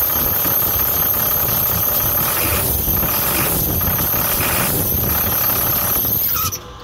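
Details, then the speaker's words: 2006 International 4300 DT diesel: loud continuous high-pitched squeal over the idle until it cuts out; belt slipping on a bad, seized tensioner pulley that will burn off the belt if run. "are you hearing that noise from your DT for to sit or you're experiencing this problem chances are you have a bad tensioner if you continue to run it it's just going to burn off the belt"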